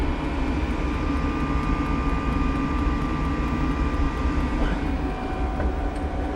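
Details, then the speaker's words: Diesel air heater aboard a Jeanneau Merry Fisher 895, heard at its ticking fuel pump that pulses as diesel is drawn from the tank to the unit: steady low roar with faint constant whine; normal running. "And you can put your finger on it, you can actually feel it pulsing. Which is always a good sign, because that means the diesel is being piped through from the tank,"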